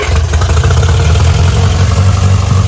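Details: Austin-Healey Sprite small four-cylinder barn find, start after head gasket change (valves unadjusted), rebuilt carbs and rebuilt generator: strong, even low exhaust beat with steady rhythm, no stumble or misfire; normal healthy idle.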